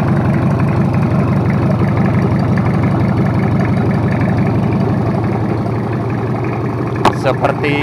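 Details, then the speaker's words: Toyota Kijang 2L diesel, freshly overhauled for low compression and abnormal noise, idling after first start: steady, even clatter with a smooth low rumble, no knocks or misses; oil pressure normal, no smoke, healthy. "udah hidup jalur untuk mesin2 airnya langsung segeng dan suaranya pun halus"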